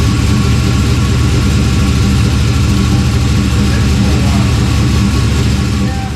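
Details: LS-swapped 1992 Dodge Dakota, first start after fitting a catch can and plugging the PCV/metered vacuum port, cylinder pressures about 15% apart: heavy, uneven lumpy rumble. Running rough after a hard start; vacuum leak or flooding suspected, engine damage possible.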